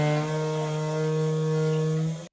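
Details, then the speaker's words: Toilet cistern ball fill valve refilling: loud steady buzzing drone, strong low hum with overtones, from the vibrating worn fill valve; fix is a new washer or replacement Flomasta fill valve. "It sounds awful, but fortunately it's easy to fix. This toilet has a ball fill valve."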